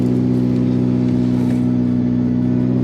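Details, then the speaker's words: Honda del Sol running after 4 years of sitting, with a very loud bad exhaust. Steady low idle with a slightly uneven, loping pulse about three times a second; owner suspects a poor fuel sending unit, not confirmed. "definitely runs a little funny i think it's like i had said with the uh the fuel sending unit not being very good"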